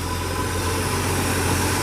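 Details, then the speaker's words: Ford F100 with 300 inline six, window seals missing and air rushing into the cab; steady even low hum, airy hiss over it, no misses or knocks; idling smoothly. "Got a 300 inline in it, which I will have to say runs like a freaking sewing machine. Listen to that thing."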